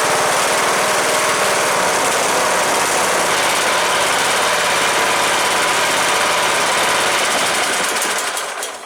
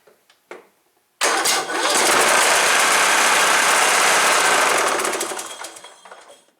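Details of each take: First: Cub Cadet LTX 1045 Kohler Courage single-cylinder engine after counterbalance repair for knock (ran without oil) and fresh oil: loud steady chatter at even speed, no deep knock, winding down at shutdown; normal running. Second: Cub Cadet LTX 1045 riding mower engine, first start after purchase: it knocked while mowing and was found with no oil before oil was added. After a few cranking clicks it fires and pounds with a heavy, regular knock about four per second, first taken for a rod knock; the cause is a loose counterbalance weight.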